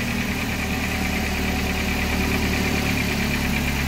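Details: K21 LPG engine truck, run with the main injector and injector module lines probed for E-35 code diagnosis: smooth, even idle with a steady low rumble, no knocks or misses; healthy.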